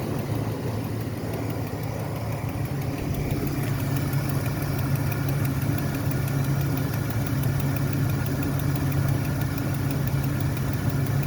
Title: what is that clicking noise?